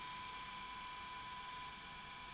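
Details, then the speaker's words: Rare CVC Showcase quarter-inch video recorder during playback after cleaning debris off the upper head drum: thin, steady whine near 1 kHz over tape hiss. Owner says the head drum bearings are complaining and hopes they quieten down. Head drum bearing noise. "The head drum bearings seem to be complaining a little bit now."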